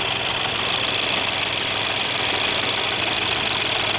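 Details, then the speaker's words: Volkswagen diesel at idle: hard rattling knock about three beats a second over the diesel clatter; broken spring inside the injection pump, pump to be removed and sent to a pump specialist. "Sesi duyuyorsunuz. Pompanın yeri kırılınca bu şekilde ses yapıyor."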